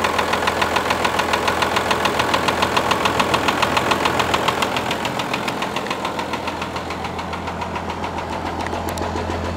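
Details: 1994 Dodge Ram, 5.9 Cummins diesel at start-up: fine at about 800 rpm idle, but revving toward 1500 rpm it runs rough, popping and stumbling, with white smoke and moisture (possibly fuel) from exhaust; settles into steadier idle.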